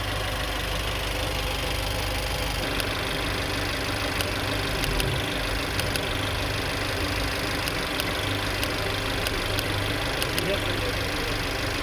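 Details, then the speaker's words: Mercedes-Benz A200 with no power and misfires on cylinders two, three and four: uneven idle with sharp, irregular snapping ticks as the cylinder-two ignition coil arcs. "se alcanzaba a escuchar él el brinco de chispa del arco voltaico"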